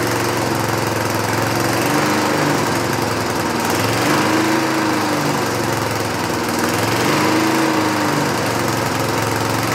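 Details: 1960s Roof push mower, no air cleaner, after a carburetor adjustment: speed rises and sags every couple of seconds, surging and struggling to stay running; owner suspects too rich or missing center carb bolt, unconfirmed.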